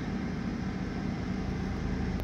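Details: Truck due to be towed for oil pressure that rose on start, then dropped, with rough running: it restarts to a low, steady idle rumble with no knocking or ticking, and oil pressure is being checked to confirm it holds.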